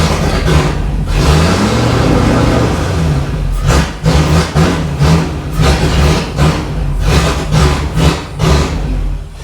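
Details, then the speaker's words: Range Rover Classic V8, first started after 7 years and running poorly; blipped with the MAF sensor unplugged, revs rise and fall freely and it picks up cleanly, running better unplugged, so the MAF sensor is faulty and needs replacing. "See, it's better without that plugged in, which means that's crap."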